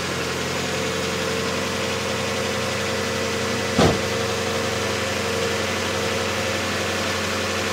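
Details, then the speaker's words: 1992 Mazda Miata 1.6 L, about 121,000 km, first start after timing belt, idlers and water pump replacement with new oil and filter: light quick lifter ticking over idle, settling within seconds as the new oil pressurizes the system. "so I had a little bit of noisy lifter at the beginning and of course within a couple of seconds all that new oil went right through pressurize the system"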